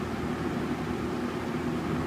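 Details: 1979-80 Galaxy Model 3713 box fan, new in box, running on its speed settings with high giving a startup high-speed mode: even, steady airy whoosh with no ticks, rattles or wobble; normal running.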